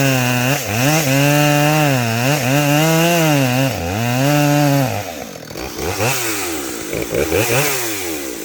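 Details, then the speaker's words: Customer's chainsaw tested after a repair, fitted with a short bar and skip chain: revs up and down cleanly, pitch rising and falling smoothly with throttle, no stumbling or misfire; running much better than the day before. "Yeah, it's running a lot better than it was yesterday."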